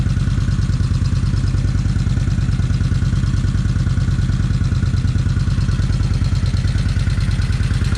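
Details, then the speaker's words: Kawasaki Vulcan 1600 V-twin idling just after first start following 4-5 years unrun, new battery: steady fast idle with light even ticking clatter, settling slightly; owner waits for valve noise to quiet down. "Okay, now I reckon what I do is just let it sit here and see if the motor sound is quieting down some."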